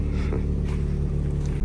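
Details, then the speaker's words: 1986 Honda Prelude Si at idle, which varies between about 1000 and 1500 rpm, heard from the rear: low steady idle with a loose, spitting splutter from a hole in the exhaust; exhaust leak. "There is a hole in the exhaust, as you can hear back here. bad. Gives it a bit more of a splatter."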